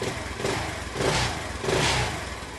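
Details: Honda C90 with new OO Racing replacement carb, after shortening throttle cable for free play: even single-cylinder putter with a couple of gentle blips that settle back cleanly; idle steady.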